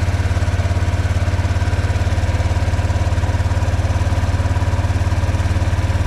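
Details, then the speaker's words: ATV single-cylinder engine just after spark plug replacement: low, steady thump at roughly 214 pulses a minute, regular with no misses or stumbles; new plug fixed it, idles cleanly. "Idles down real nice."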